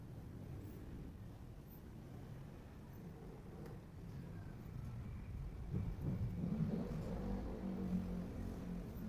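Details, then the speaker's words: Electric stand fan after worm gear replacement runs with an even, low hum and airflow; the earlier noise from the rear is gone, no clicking or grinding. "Oh 'di ba? Perfect. Wala ng tunog ang likod."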